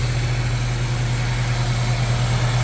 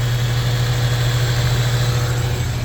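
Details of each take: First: Honda EF Civic sedan after timing belt work and valve lapping: even idle with a steady low hum underneath and no knocking; source unknown, owner wonders about the battery charger or suspects the timing jumped. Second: Honda Civic EF sedan after timing belt work and valve lapping, which had earlier screeched like a belt and died: it started right up and idles with a steady, even low hum, no knocks or ticks: normal idle.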